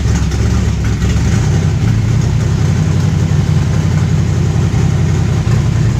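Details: V8 on first fire-up after installing Pertronix Ignitor electronic ignition and Pertronix 512 digital box, before resetting base timing: deep, steady rumble holding even idle without stumbling; timing close.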